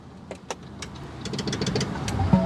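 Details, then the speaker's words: Ford Mach-E, wireless mic in driver's-side wheel well: a handful of sharp, uneven clicks over a rising electrical hum at power-up, from outside the vehicle; began in the last couple of days, source unknown. "there it was it went click click click click we'll see if it caught it on the microphone what do y'all think that noise is"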